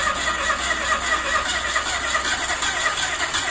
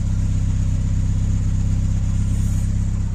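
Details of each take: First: Ford Escort MK2 barn find, unrun for 27 years, cranking on the starter: fast, light spin with even hiss and little puffing, so low compression; blow-by visible from the dipstick hole. Owner suspects stuck rings or past overheating. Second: Ford Escort MK2 barn find unused for 27 years, on fresh fuel with block filled with water: deep, even, crisp exhaust beat at fast idle, no stumbles or knocks; normal running, blow-by gone.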